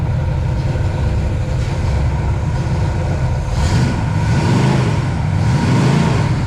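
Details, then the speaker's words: Pontiac 421 .030 over, '69 big-valve heads, 180° and about 43 psi oil rising to near 60 psi at 2700–2800 rpm; deep V8 revving unevenly up top because the carburetor is not tuned for this engine. Lean running from untuned carburetor. "like I said the carburetor is not tuned up for this engine so it is not happy there we go"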